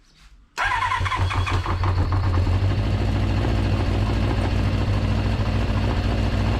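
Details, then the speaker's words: Kawasaki GPz400R track bike, four-cylinder, carbs, fuel in tank for a couple of years, first start: fires easily, fast choppy uneven idle; owner suspects misfire, possibly HT leads swapped between coils; fuel dripping from carb. "do you think that's a misfire do you think i've got maybe the htc laser on the wrong way around i mean it fired up a lot easier than i was expecting it to"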